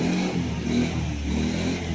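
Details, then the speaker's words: Yamaha Mio Soul i 125 scooter after an engine refresh from a 59mm bore back to stock: revved, it holds a steady, smooth, quiet note with no grinding or clatter. Before the repair it sounded like a grinder. "O yan, okay na siya. O tahimik na rin makina."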